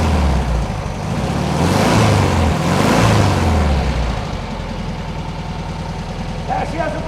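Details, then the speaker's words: 1971 VW bus after 2+ years sitting, new carb, plugs and wires, a little warm, off the choke: two revs then an even, steady idle with no misses, burning off deposits; normal idle. "a bunch of stuff she needs to burn out of her that's all they off the choke so judge idle sounds good engine sounds happy"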